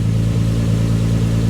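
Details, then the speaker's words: Nissan 300ZX with a rebuilt engine, just started after the turbo was removed and refitted to fix an exhaust leak, running on 83% ethanol on a hot day: an even, settled idle with no ticking or chuffing. The leak seems fixed, though a small one may remain underneath. "Sounds pretty good. I think I got rid of my exhaust leak."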